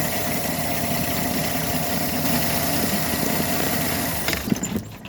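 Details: 2013 Chevy Silverado 4.3 with suspected throttle body codes, freshly started: steady, smooth idle with no shaking or misfire before the engine cuts out; idle sounds normal at this point.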